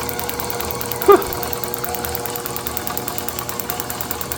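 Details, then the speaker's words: Overhauled IHC H4 magneto from a Farmall MD, meant for a TD-6 crawler; crisp, even ticking over a light motor hum with no skipped beats: normal magneto spark. "you can hear by the clicking that it is not missing a beat. If it was missing, it would be very easy to hear by the tone of the spark. It wouldn't be a constant tick tick tick tick tick tick tick tick tick tick tick tick tick."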